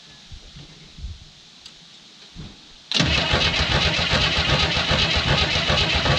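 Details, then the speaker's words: 1967 Chevy II Nova sitting 30 years, fuel line disconnected, object jammed in to clear flooding: starter spins evenly for several seconds but engine never catches; flooded. "so i may just be way too flooded at this point i may have to wait a couple days"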